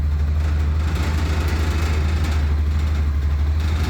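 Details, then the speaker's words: Massimo T-Boss 550 UTV at idle: deep steady idle with a light, uneven buzzing rattle of the loose bedside once released; a broken tab is suspected, and removing the aluminum heat shield was already tried for other rattles. "as soon as I let go of this bedside that I'm holding on to it's going to just rattle the crap out of it"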